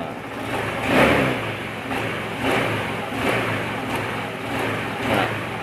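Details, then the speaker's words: Honda Beat FI scooter after fixing the leaking fuel-pump valve with glue that caused stumbling on initial throttle: quick throttle blips rising and falling cleanly, no stumble or hesitation, smooth pickup from low to high. "jadi dari bawah sampai ke atas itu aman ya nggak ada ngempos nggak ada brebet kayak grafik mah enak guys naiknya naiknya enak rata gitu ya"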